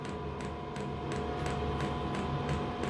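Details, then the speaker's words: Diesel air heater on a test bed before fitting to a boat, powered by a possibly weak battery: fan hum with sharp fuel pump ticks about three per second as it bursts into life; air and exhaust heat coming out, starting normally. "oh hang on it's bursting to life it's making more"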